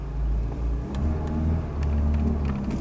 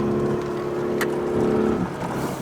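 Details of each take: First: Mercedes W124 project car while driving: low even engine drone pulls smoothly under road rumble and a few cabin clicks; engine sounds healthy on the move. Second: Mercedes W124 project car with LPG and petrol, driving on the move. Steady droning roar with a slight dip near the end. The car does this a lot; loud engine roar while driving, cause unknown.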